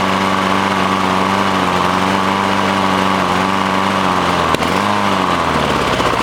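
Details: Lawn mower stored outside under a tarp, new gas, newish air filter: runs at steady speed, then dips and climbs back, hunting before stalling; mechanic found water in the carburetor causing the surging.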